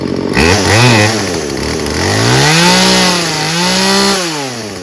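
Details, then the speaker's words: Craftsman 16-inch 38cc two-stroke chainsaw revved through several quick blips, climbing and dropping cleanly and picking up crisply; very responsive, no air-fuel mixture adjustment needed, nothing wrong with it. "There's nothing wrong with this. Sounds really good, and it's very responsive too."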